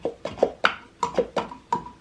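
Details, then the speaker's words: PVC inline check valve from a ram pump after 4 years of operation, with a metal spring inside, opened by pushing its button by hand. Sharp hollow pops come about every quarter second as the flap snaps back on its seat, so it still seals and works. "It still works okay. As you can hear that pop."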